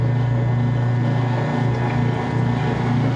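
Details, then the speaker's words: Washer draining after a blanket wash: steady low hum with even churn of water, no grinding or squeal; drain pump emptying the tub normally, almost out. "Drain pump shut. Still draining here. Almost out. I can hear it. It's getting close."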